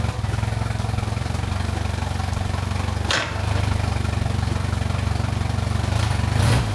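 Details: Mercury Pro XS 115hp 2.1L outboard on a Mako 18LTS, 5–10 s first start after a 100-hour service (fluids, impeller, fuel filter, plugs, thermostat replaced; fuel filter primed). Catches and settles into a smooth, even idle with no knocks or misses, healthy.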